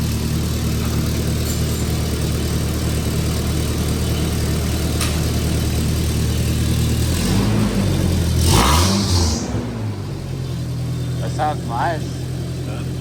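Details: Toyota 2.4L after EGR valve replacement and catalytic converter removal: steady, even low idle with no ticking, rattle or exhaust puffing, way quieter than before the repair; normal idle.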